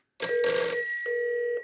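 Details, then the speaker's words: Rebuilt 1949 Western Electric Bell System 302 desk telephone with new #6 dial, new cords and cleaned contacts, called from a test phone: two bright, steady ring bursts with a clean metallic gong tone and a short gap; ringer works properly. "And as you can hear, it's ringing nice."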